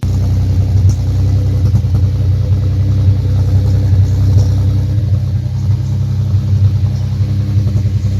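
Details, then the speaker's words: 2005–2009 Audi A4 B7 3.2 FSI V6: deep, uneven idle with irregular thumps and pops from the tailpipe, a misfire because one ignition coil is not working. "misfiring is happening because one of the colors is not working in this case this is the one thing is like misfiring in that's the reason why you hear those kinds protein coming from the tailpipe"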